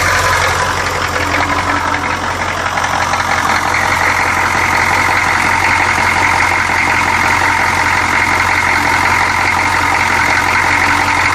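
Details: 1984 6.2L diesel idling with sharp regular knock nearly three times a second over clattery idle; conrod bearings plastigauged tight, so not rod knock; likely an injector.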